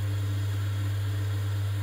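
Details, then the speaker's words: Vaillant ecoTEC plus 637 system boiler after replacing the faulty gas valve that caused F28/F54 ignition failure: a steady, even low hum of the burner firing with no flutter, popping or surging, so normal burner operation. "so yeah it was a faulty gas valve as you can see this is what we should be getting when the gas valve opens up"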